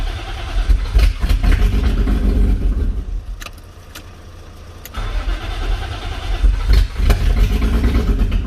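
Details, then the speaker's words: BMW E36 M52 with M54B30 inlet cam, first start: catches and runs rough and uneven, sags almost to stalling midway, then picks up. It won't hold a steady idle. Stalling at idle. "engines in the car now um all running had a few teeth and issues had this swapped the crank sensor over and just wouldn't stay running kept on cutting up"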